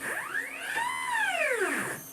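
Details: Upgraded Y-axis stepper on a homemade JGRO CNC router, tuned in Mach3 with velocity raised to 65: stepper whine sweeps up and down, ragged near the top as the motor stalls and skips steps from excess velocity.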